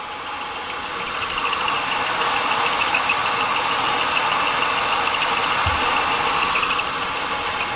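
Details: 2002 Ford Taurus 3.0 with an intermittent no-start and an oil-soaked starter, idling with a light high chirp about three times a second. It sounds like a belt, but the owner suspects the cam sensor.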